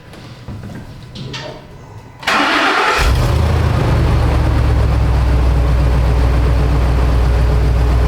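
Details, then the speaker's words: 2011 Ford F-250 Super Duty, 115,000 miles, intermittent stalling, no codes, another shop blamed the fuse box: cranks, catches and settles into steady even idle with no misfire or knock; stall cause not confirmed. "look everything looks normal when it's running you know so nothing weird but it just does that just quit"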